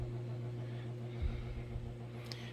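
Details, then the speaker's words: Coralife Biocube 32 aquarium hood after replacing the noisy cooling fan with a new one: only a faint, steady low hum, and the fan runs quietly and normally. "you barely hear anything um wow what a difference um the new fan made uh literally is is a game changer i cannot hear the fan whatsoever"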